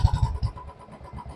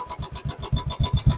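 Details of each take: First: Royal Enfield BS4 single at idle after checking for hydraulic tappet noise: steady, even low thump with no ticking on top; valve train sounds quiet and normal, no problem. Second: Royal Enfield BS4 single idling: fast steady ticking over the thump, constant throughout, also on cold morning starts; hydraulic tappet noise caused by the engine being a litre short of oil, not a faulty tappet or oil pump.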